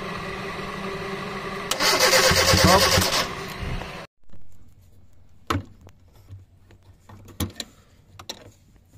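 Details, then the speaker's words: 2010 Kia Rio manual that sat for over two months unused, cranking: about 1.5 seconds of brisk cranking that never catches, then quiet with clicks. No fuel is being delivered; the fuel pump or regulator is suspected. Crank no start. "Crank yon Mga sir dahil walang gasolinang lumalabas pinagpalit muna natin ng relay ng fuel pump"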